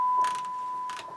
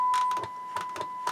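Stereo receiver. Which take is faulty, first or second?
first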